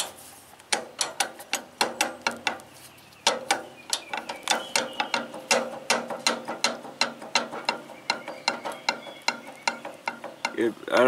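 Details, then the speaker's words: 1983 Workhorse GT-1848 lawn mower after reassembly with the clutch just installed. Sharp even clicks at about three per second, like a pawl ratcheting, from the clutch area. Cause not yet pinned down. "I got the clutch put on the only problem I have I"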